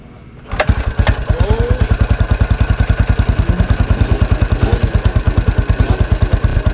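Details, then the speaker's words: 1983 Husqvarna 510TC four-stroke single, rebuilt after fire damage, started near completion: it catches within half a second, then settles to an even, steady thump with no knock or miss; normal start and idle. "so as you can hear there it's still quite a nice sweet sounding at 510 engine after its recent rebuild"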